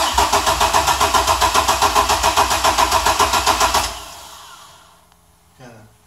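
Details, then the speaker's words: Chevy S10 cranking cold: an even starter churn for about four seconds with no firing. The owner suspects the coils get no power while cranking, so it only starts when the key is released. "I think it's got a problem where it only starts when you release the key. Oh. It doesn't get power to the coils when it's cranking,"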